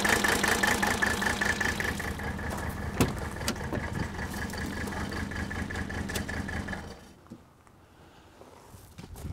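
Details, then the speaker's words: 1983 Mercedes 300D diesel, idled up slightly during a cylinder-by-cylinder misfire check: lumpy, uneven clatter with missing beats before stalling; cylinders 3 and 5 not firing, suspected bad piston, compression test next. "okay gasoline alright so we've got we've got issues with number three and number five"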